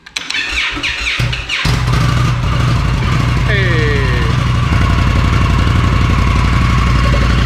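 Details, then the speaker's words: Stock Indian Scout on a jump starter, before the 2-into-1 exhaust swap: starter clicks, the engine catches and settles into a quiet, even "sewing machine" idle with smooth revs; healthy stock exhaust. "that's what it sounds like stock. Are you gonna rev it or just let it idle? Yep, that's it. Sewing machine."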